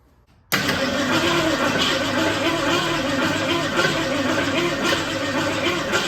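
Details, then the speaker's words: 1966 Ford Mustang after sitting 16 years, after work on the wires: steady, even cranking with no metallic clank; earlier clanking while cranking is gone, engine turns over freely. "Definitely don't hear the weird clanking that I heard when we were cranking it before, so that's a relief."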